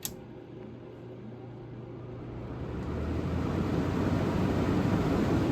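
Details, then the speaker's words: Vintage GE Super Thrust room air conditioner running on fan-only low speed: steady even low hum with soft airy rush; smooth, no rubbing or rattle; normal fan operation. "just like that you can tell the Comfort Air is a lot louder than the GE super thrust on uh van"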